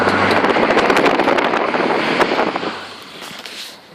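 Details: Holden VY SS Commodore driving: rapid sharp clicking over road noise, intermittent, worse under load and uphill, changing with acceleration, stopping or fading very low in neutral; cause was worn rear right-hand driveshaft CV joint.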